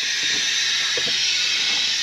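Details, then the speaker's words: F-4 Phantom during leak checks, compressor shut down and air accumulators charged: steady high, airy hiss with nothing running, pressurized air escaping; leak location not yet confirmed, thought to be in a small hole back there. "all right compressor shut down air accumulators are charged up but I don't know if you guys can hear that or not but uh that's a leak"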